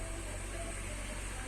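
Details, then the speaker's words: Honda City electric power steering after repair and reassembly of the steering box: only a steady low hum while turning the wheel, no knocks or clunks; the earlier steering noise is gone. "Então, não temos mais barulho."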